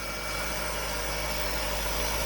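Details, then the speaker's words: BMW E46 323i, previously about 10 PSI low at the fuel rail, after fuel-system parts replacement fires up and holds a steady, even idle on its own fuel without starter fluid; rail pressure gained over 5 PSI, running normally. "check that out super exciting and it's staying running too I didn't put any starter fluid in it"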